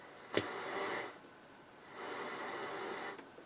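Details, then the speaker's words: Harman Kardon HK460i receiver at first power-on with an old damaged power cord: a sharp crack, then surging faint scratchy hiss from the speakers; cause unknown, possibly interference; needs cleaning and maybe capacitors. "i don't know what all that scratchiness was interference i guess plus your looks like it just needs a good cleaning and maybe a few caps"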